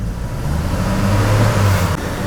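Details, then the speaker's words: Vortec 4.2 L inline-6 idling after a tune-up with a new air cleaner. Low, lumpy idle with an uneven shake and a slightly raised speed; a misfire was found on cylinder 2, and its spark plug was then pulled. "Okay, so we've had a misfire on 2. This is way smoother. Okay, so we had a misfire on 2, on cylinder 2."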